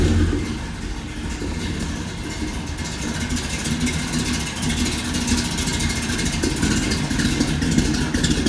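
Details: Big-block Squarebody GMC Jimmy just converted from propane to gasoline, new starter not yet shimmed, microphone unplugged: deep V8 rumble revving up and settling back, firm and steady with no knock or misfire; runs healthy.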